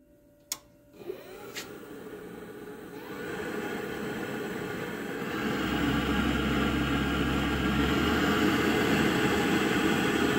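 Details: Navien NR-240A water heater with error 12 flame-outs, irregular intake, inconsistent hot water, after cleaning, flushing and flow sensor replacement: light click then a rushing roar that builds and thickens over seconds; burner sounds rough, cause unclear.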